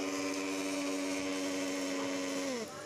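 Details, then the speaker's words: Hand blender before repair: steady high motor whine with no load, then smooth spin-down; motor turns but the blade shaft does not, drive coupling melted and slipping: melted drive coupling. "जैसे की हमने इसमें देख रहे हैं तो इसमें बिल्कुल भी घूम नहीं रहा है मोटर ही घूम रही है"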